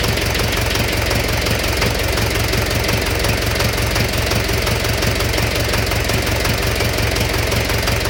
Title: Стук в двигателе